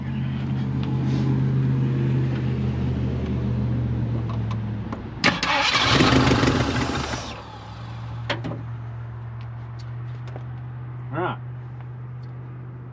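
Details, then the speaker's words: Ford Dentside F150 revival, gas poured down the carburetor throat; starter cranks steadily about four beats a second with a brief surge but no catch; stuck needle and seat and dead accelerator pump suspected; crank no start. "I think needle and seed are stuck. And possibly the accelerator pump does not work. Accelerator pump is not working."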